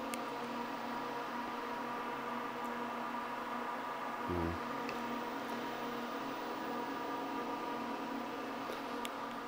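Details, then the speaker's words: First power-on of a newly built PC with a temporary EVGA GT 1030 card: a steady, loud, even fan drone with no ticking, rattle or grinding, normal fan noise while memory is counted and no display yet. "now surprisingly this thing sounds like a I don't know um drone or something like that these these fans are pretty noisy"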